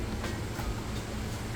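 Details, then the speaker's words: Amana top-load washer in final spin, which runs three times, faster each time, extracting water: low, steady, even hum, spinning fast with no knocking or banging; normal, stable final spin. "Actually finishing, it'll run 3 times, getting a little faster each time as it extracts the water out, but you can see it's coming down off this one, still spinning super fast."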